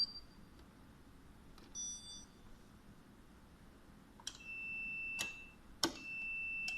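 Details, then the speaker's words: DM90X side-by-side refrigerator: short high beeps with faint clicks each time the dispenser actuator on the door is pressed, showing the actuator circuit from door to power board (connector J9) works normally. "vez que tocamos seleccionador vamos a escuchar que hace el pitido el texto eso quiere decir que el accionador desde aquí desde la puerta hasta la placa de potencia está funcionando correctamente"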